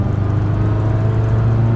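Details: 2006 Subaru Baja with a 4EAT automatic transmission on a test drive after all seven valve body solenoids were replaced to fix a downshift clunk. It pulls away with a steady low hum, smooth with no clunks: normal shifting.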